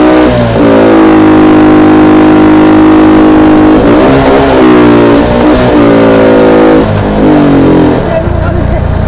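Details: CT 100 motorcycle that cut out and ran rough despite replaced parts, after fix: clean, even engine note rising and falling smoothly with throttle, no stumbling or cutting out; problem solved, normal running.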